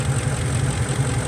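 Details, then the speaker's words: Ford F-150 with an intermittent misfire on cylinders 1 and 6 (codes P0356, P0351), cylinder 6 injector briefly losing its signal: the deep idle has an uneven, lumpy pulse and a recurring stumble as a cylinder drops out. "ahí tenemos la falla ven no estaba sigue temblando el motor"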